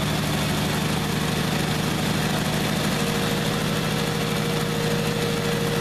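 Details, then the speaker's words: Old gasoline engine, cold start with starting spray, pedal held to keep from stalling: rough lumpy sputtering idle as if on about four cylinders; misfire, smoothing slightly as it warms and other cylinders begin firing. "So, it's running, but it's running like crap. It's running on like four cylinders. I can hear it sputtering. I'm just holding the pedal so it doesn't stall."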